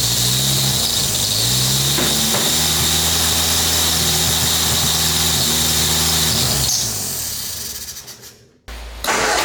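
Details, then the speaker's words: 1970s homemade canoe hot rod built on a 1953 Ford Anglia, first start after 47 years: catches and runs unevenly, then dies instead of idling; owner suspects a plugged exhaust with crud coming out. "all right we can't get it to idle and i think it's a bunch of crud coming out of the exhaust"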